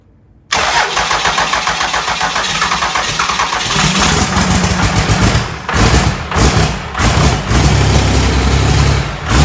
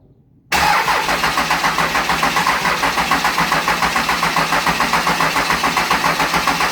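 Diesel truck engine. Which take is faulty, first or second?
second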